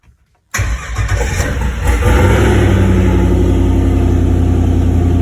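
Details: Turbo LS V8 swapped into a Caravan, stock LS truck harness rewired with 0411 PCM, after wiring: brief crank, catches and flares, then a steady, even low idle with no misses or knocks; normal idle.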